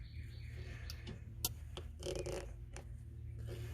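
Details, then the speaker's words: Bobcat 773 skid steer, limit switch with a bent, worn bracket, worked over the lever travel: crisp, irregular clean clicks over a steady low machine hum; switch activates normally, only in reverse, after a partial repair. "The bracket's, it's shot, but needs to be replaced, but I'm working with what I got right now. And I've activated it. bunch of times."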